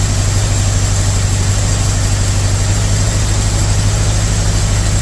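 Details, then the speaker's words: 1982 Chevy K10 that sat nearly 5 years, idling after a jump-pack start. Loud, deep, lumpy idle beating about three pulses a second as cylinders drop out. Misfire. "Got a misfire, that's for sure. Good idling. Yeah, definitely got a miss."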